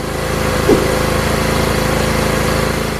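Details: Toro Recycler with Kohler 6.75 engine after carburetor clean, which before would start, run about five seconds and stall: steady, even single-cylinder buzz with no hunting or stalling; runs normally, ready for another season.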